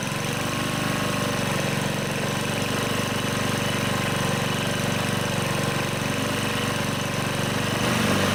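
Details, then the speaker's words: Honda HR215 lawnmower, warm, after clearing the carburetor slow (pilot) jet and resetting idle screw to cure surging: steady even putter, no hunting or surging; normal idle. "looks like I have the Idol set about right so I got lucky there seems like it's idling fine once it warms up"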